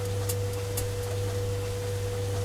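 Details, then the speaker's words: White Knight Eco 43A gas tumble dryer, after the drum-turning repair, with the gas on. A steady, even drum hum with faint ignition ticks as the gas burner lights; working normally. "the gas is on power's on it's turning and after a while we should get ignition here"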